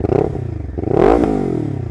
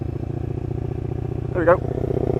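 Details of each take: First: Lexmoto LXR380 single on loan, fitted with Lextek full performance exhaust and replacement ECU, at tickover then revved: crisp idle, clean rev rising and dropping back to even idle, no misses; sounds completely normal. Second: Lexmoto LXR380 single-cylinder with full performance exhaust and new ECU, riding at very slight throttle: steady thump with a rhythmic surging pulse, not dropping out like a misfire; owner suspects low-down fueling map, not a miss.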